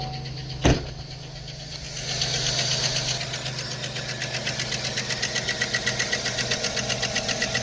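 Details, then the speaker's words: 2009 Chevy Silverado 5.3 V8, 294,000 miles, check engine light on: sharp even lifter tick about four per second at idle, before adding Motor Honey oil additive; cause suspected, not confirmed. "Um, yeah, she's got 294,000 with a engine light and a lifter tick. So, we're going to try some old motor honey."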